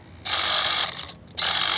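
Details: Modded Pico RC scrub with a sealed-back motor whose steering had felt weak: two sharp, high raspy buzzes under a second each, with no engine note. It sounds like the steering servo gears ratcheting or slipping; the cause is suspected, not confirmed.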